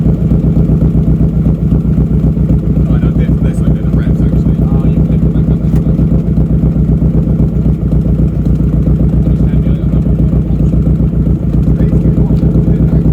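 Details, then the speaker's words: Nissan Pulsar GTiR, first start in seven years after rebuild, slightly smelly from oil burning off: steady low exhaust pulses with an uneven, lumpy beat, running rough; owners suspect ignition timing and injectors still needing run-in, timing to be done next. "it hasn't been running a long time so yeah yeah and it is running rough so probably the next video you see will actually be us do the timing i think"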